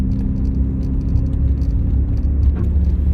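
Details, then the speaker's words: 2004 Scion xB driving after exhaust leak repairs, heard from inside the cab: a steady, even low drone with no ticking or puffing. Normal exhaust sound while driving. "I don't know if you've ever had a vehicle with a doughnut gasket leak or an exhaust manifold leak but like I said earlier in the video it's a very knowing and it doesn't really go away especially under like hard accelerations you definitely hear and that's completely gone my drone is almost completely gone again"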